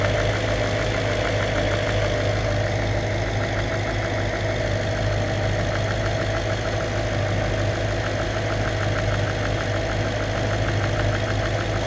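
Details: Audi S4 4.2 V8 (BBK) idling: light, quick tapping about three a second from the intake manifold side, caused by an intake manifold flap.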